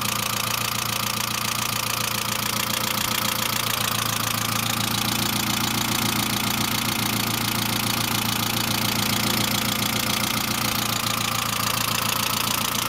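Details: Saab C900 after an engine and head rebuild, at idle: constant fast, light lifter or valve train ticking. There is no oil leak and no oil pressure lamp. The owner suspects the oil pressure relief valve, after ruling out the oil return line; the cause is unconfirmed.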